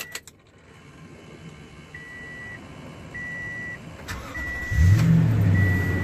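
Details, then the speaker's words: Toyota truck during inspection, started from inside the cab with the door chime beeping: engine cranks and catches promptly into a settled idle; normal, healthy start. "as you can hear the truck start right there"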